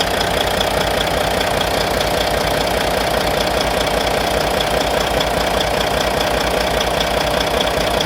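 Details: Volvo VNL D13 diesel at idle after injector replacement: crisp, regular tick about two and a half times a second over the engine; owner suspects lifter noise, unconfirmed.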